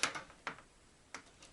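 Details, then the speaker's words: Samsung PN50B540 50-inch plasma TV with a horizontal-lines fault, after reconnecting the panel connectors: sharp dry relay clicks at plug-in, showing the power supply is good. "plug it in, we hear the click, that means it's good."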